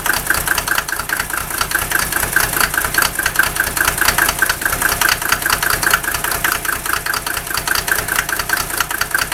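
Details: Mercedes OM603 diesel cold start: harsh, uneven clatter stumbling irregularly; rough cold idle with misfire, smoke reduced only when injector lines 2 and 6 cracked, still rough when warm; glow plugs checked fine; cause unconfirmed.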